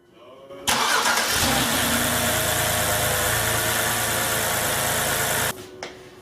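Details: 2012 BMW 128i N52 starting after spark plug service: quick crank, clean catch, then even idle with no misfire stumble or ticking for about five seconds; engine runs healthy.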